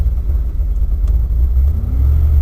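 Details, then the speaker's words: Wood-gas-powered Dodge Dakota just switched from gasoline to 100% wood gas: deep, slightly uneven low rumble with soft surges as more air is added; running too rich. "It's running so rich, I'm having to give it more air here."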